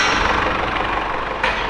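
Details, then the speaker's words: Mercedes-Benz E-Class W210 220 CDI diesel idling after a new Bosch crankshaft sensor was fitted: smooth, even clatter with no stumbles; the sensor waveform looks perfect. "and this is the waveform once again. It looks perfect."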